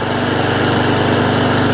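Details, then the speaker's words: Honda IZY 19-inch petrol lawnmower, fully serviced after fixing a fuel-leaking carburettor, revs raised slightly via governor arm after earlier hunting/surging; now fast, even firing beat holding one steady speed, no surging, idles without cutting out: normal steady running. "so it sounds better the last time it went idle"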